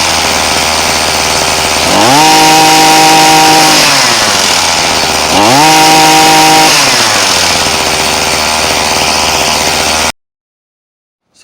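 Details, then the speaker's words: Six-month-old Poulan Pro 2322 hedge trimmer two-stroke after a carburettor adjustment. It had cut out on acceleration, and the splineless adjustment screw was slotted to allow the fix. It now idles, then revs cleanly to full twice and drops back without cutting out. "you saw the results from how it runs it runs like a champ now it was cutting out when i went to accelerate so a bit of success"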